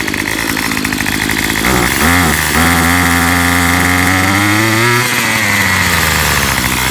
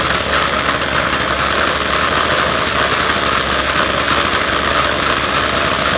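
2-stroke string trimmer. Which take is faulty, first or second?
first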